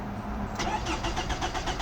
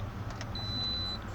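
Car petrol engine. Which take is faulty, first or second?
first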